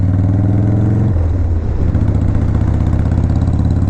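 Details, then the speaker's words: 2001 Harley-Davidson 1200cc V-twin: deep, lumpy idle with a quick throttle blip and an even beat throughout. The exhaust is very loud but the engine sounds healthy, so normal idle with loud exhaust. "this bike sounds good there's definitely loud probably louder than what my neighbors live"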